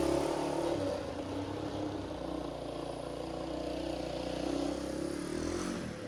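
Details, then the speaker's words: 1985 Honda XL250R RFVC single, revived after years abandoned; compression was very low with intake valves suspected leaking, and oil was added to the cylinder. On a ride with the muffler fitted it thumps smoothly under load with no knocks or misses; clutch slips slightly from a tight cable. "all right that's it works good the clutch uh slips a little bit the cable a little too tight i'm gonna back that off a little bit"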